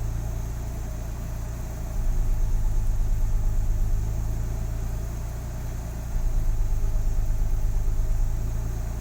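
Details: Nissan 300ZX Z32 VG30DETT twin-turbo V6, warm with cooling fan running: deep steady idle, even pulse with slight rise and fall in speed, no ticking or knocking; normal idle.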